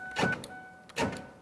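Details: 2002-2005 Ford Explorer, with a new door lock actuator tested from the door switch before the panel is refitted: two crisp, quick motor buzzes about three quarters of a second apart, each ending cleanly; normal actuator operation.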